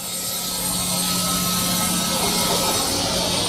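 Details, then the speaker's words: Holzher vertical panel saw ripping a board after tuning the horizontal rip alignment and base: steady low motor hum with even blade hiss, no bogging; no longer fighting the blade as before, cuts cleanly, slight burn at cut start. "sounds much better going through the board I wasn't getting the typical fighting that I was while I was pushing against the blade and had a little bit of a fight"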